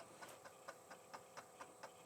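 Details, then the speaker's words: Franklin Ace 1000 floppy drive, unlubricated, reading the booted Locksmith disc: crisp, evenly spaced head ticks about four a second over a quiet spin, slightly screechy or scratchy as the disc rotates, judged normal; drive reads normally. "It sounds almost a little screechy or scratchy as that disc rotates, but I think that's just normal and there shouldn't be any lubricant on there like there wasn't on this drive."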